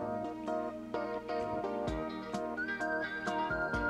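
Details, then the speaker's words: Commodore 1530/C2N datasette, playback head azimuth deliberately turned off axis by its adjustment screw: music plays back muddy and muffled with treble lost, then brightens as the screw is turned back to correct alignment. "you can hear how it's muddy now i'm going to turn it back and you'll hear it brighten up"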